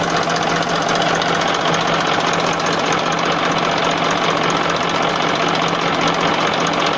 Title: 94 MODEL Massey Ferguson 1035 DI - Overview Of Engine humming sound